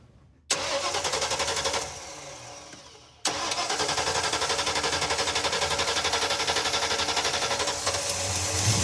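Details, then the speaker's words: Long-sitting Ford Ranchero 302 V8, started by jumping wires with a multimeter lead, fuel line leaking gas: silence, then cranks, catches and settles into a steady, even lope with quick regular beat; runs well. "Woo, it's alive. Wow. That sounds all right."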